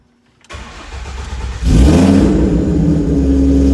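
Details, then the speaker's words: 2011 Ford Mustang V6 with a freshly swapped 80,000-mile engine and transmission, running naturally aspirated. First start after install: it cranks, catches quickly and revs cleanly, then settles into a steady, even idle with no knocks or misses. Normal start and rev. "Oh yeah. She's ready. So we're calling it a night, guys. I'm pretty tired. The engine is in, the car runs."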